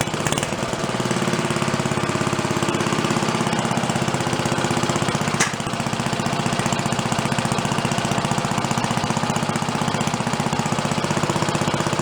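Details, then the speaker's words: Roughly 80-year-old Briggs & Stratton engine on a water pump, revived after sitting 50-60 years, with a spring on the throttle as it was set up for about 3,300 RPM: slow, even single-cylinder firing at about four beats a second; healthy low idle. "slow you can get it to go. Sounds good. Crap on the best side. Going pretty slow. Gonna stay going."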